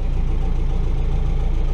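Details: 1964 Willys CJ5 Jeep, F-134 engine, after fitting a remanufactured Delco 10si 3-wire GM alternator: low, even thrum with steady firing pulses, no knocks or whine; smooth healthy idle, voltmeter confirms 13.5 volts charging.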